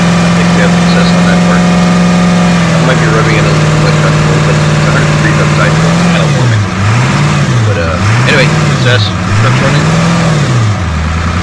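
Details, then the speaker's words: 2002 Ford F350 7.3L diesel, 238K miles, after injector cup repair and passenger injector harness work, valve cover off one side: steady, even idle with a low hum and smooth rev blips, still puffing smoke as it clears out. Runs healthy. "Still having the puff and clearing everything out, but it's running. And it runs fairly smooth, actually."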